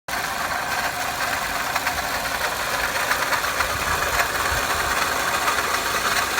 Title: 2005 Pontiac Vibe Toyota Matrix 1ZZ-FE engine noise: Solved, water pump noise